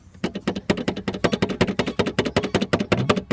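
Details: Rear door of a car, beige plastic trim panel above the door glass removed while routing a rear camera wire: sharp plastic knocks in quick uneven bursts, about three a second; likely loose plastic rattling in the rear door.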